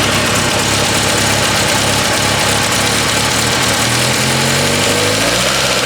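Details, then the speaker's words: Petrol engine that used to sputter on light throttle now idles and picks up smoothly when revved, no stumble; an exhaust leak is noted, otherwise the engine sounds good. "Before you used to sputter when you just touch the gas. Now it's clearing out. Real good."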